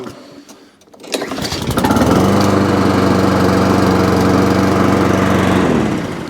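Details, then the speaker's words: Alco Silva 520 BR lawnmower after drive and throttle cable repair, pull-started on choke, dead-man tested: catches quickly, even drone, dies smoothly on release; drive cable could use more adjustment; normal start and stop. "so starts and stops good click so it could have a little bit more on that throttle on the um drive"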